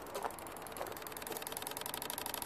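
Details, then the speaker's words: Mercedes S320 W220 wiper motor with its plug connected: fast light ticking that quickens to a steady rattle as the motor strains to run. Relays on the left SAM click loudly, and the noise stops when the motor is unplugged. Wiper motor struggling. "Okay, can you hear this? The motor is kind of try to run."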